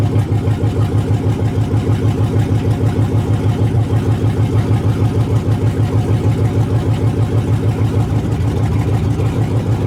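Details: 1980 Chevy C20 with a swapped 4.8L LS V8, first fire-up after the swap: loud, raw open-header idle with a steady, even pulse of about three beats a second. Smooth, regular and healthy; it started as it was supposed to.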